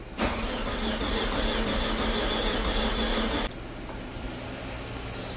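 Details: Audi A4 B6 1.8T quattro, first start attempt after engine-out refresh: steady fast cranking about three turns per second that never catches, because the injectors and cam sensor were left unplugged; crank, no start.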